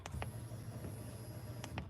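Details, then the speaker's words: Drift truck on keypad-controlled wiring, fuel pump at the rear: a steady low hum under a faint high whine with no surging or stutter. The fuel pump is running normally. "I don't know if you can hear that fuel pump going on back there"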